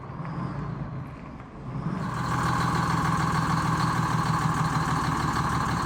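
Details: Detroit Diesel inline 6-71 in a bus, running before teardown: deep rumble about three beats a second, picking up after two seconds, uneven and weak; low compression, no power, dirty bad Roots blower, white smoke of unburnt fuel, fuel pump losing prime.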